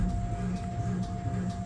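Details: Front Bilstein DampTronic Sky adaptive damper from a Mercedes S-Coupé C217 4Matic with air suspension, on a test bench in firm setting: sharp knocks about twice a second over a steady motor hum, internal damage; no knock in comfort mode.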